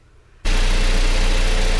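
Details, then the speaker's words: 2005–2015 Toyota Tacoma 2.7L i4 after spark plug replacement: engine catches after a short silence and settles into a steady, even low idle with no misses or knocks; running normally. "okay I start the car now let's listen to the engine everything seems to be running normally we can call this job well done"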